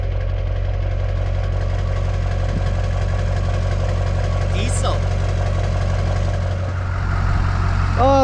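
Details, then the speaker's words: 2002 2500HD 6.6 LB7 Duramax diesel after fitting a new 4-inch downpipe-back exhaust to fix a front leak and a cracked muffler: steady, even low-rumble idle with no exhaust ticking or rattling. "that sounds so much better without the exhaust leak, and the freaking exhaust ain't crackling together."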